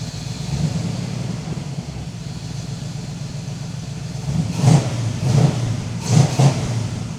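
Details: 1978 Datsun 280Z being brought back to driving condition, running after alternator hooked up: steady idle, then quick throttle blips that rise and settle cleanly; normal running with revving.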